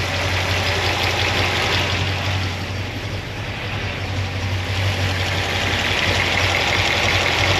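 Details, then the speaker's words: 1976 Corvette V8 after binding roller rocker trunnions were fixed and valve stem seals replaced. Not yet warm, gauge just over 100°. Light, even ticking about three per second over a steady idle: normal valvetrain noise. "yet that sounds like normal valve train noise mechanical"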